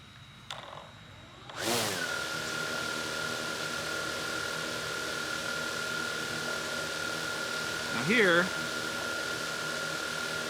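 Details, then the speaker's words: DJI Mavic Air 2 with Master Airscrew propellers idling on a wooden surface: after spin-up, an even, steady whine with no wobble or rattle, sitting in one place without shaking, unlike on the slick metal table. "doesn't appear to shake at all you can see it's setting in one place"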